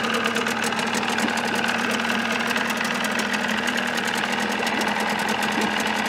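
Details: 1979 Evinrude 35hp two-stroke outboard, hood on with new sound-deadening insulation: busy, even two-stroke buzz with a steady rapid beat and no misses or knocks, meter reading about 85 dB; normal running.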